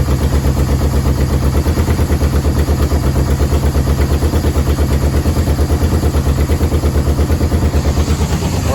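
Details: Yamaha VMAX 1200 that sat about 5 years, cold on choke with a jerry-rigged fuel pump: a deep, thumping idle at about three pulses a second with slight unevenness. It dies when the choke is off. Owner suspects clogged carb jets; not confirmed.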